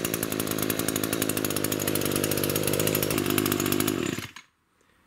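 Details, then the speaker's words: Echo two-stroke grass trimmer after repair and reassembly: crisp, even revving with a clean steady buzz and no bogging before shutoff. It runs like new. "as you can see that was the problem it's a huge difference now runs like new"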